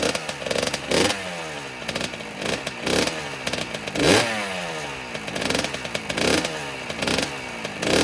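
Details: 2009 Kawasaki KX85 two-stroke after rejetting from 135 main/35 pilot to 140 main/40 pilot: crisp revs climbing cleanly and dropping back about once a second, no bogging. Now running properly.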